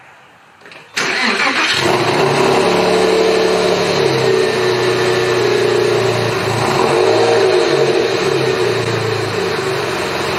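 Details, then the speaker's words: 996 Porsche 911 Carrera, manual, after refitting exhaust manifold and hanging the mufflers back on: starts cleanly, smooth idle with light revs, clean exhaust note, no rattles; healthy. "now we get to hear what it sounds like without these okay let's see what it sounds like it's gotta be better"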